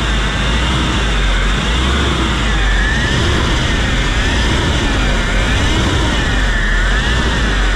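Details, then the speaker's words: Hyundai Grand Starex diesel at idle. A rough, wavering grinding whine sounds like a failed bearing or an empty power steering pump; the cause is a worn idler pulley bearing. "yung narinig niyo mga boss parang ah kumakayod or bearing na sira na naghalong power steering ang tunog na walang laman"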